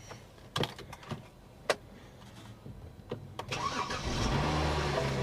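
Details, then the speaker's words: BMW 535 with dual exhaust, auction car from an insurance claim: a few clicks and thumps, then a short crank and a clean catch into a smooth, steady idle; no check engine light yet, only a battery discharge warning. "she fired up no check engine light yet increased battery discharge you think I'm gonna let you run for a minute there sweetie so you can recharge that battery"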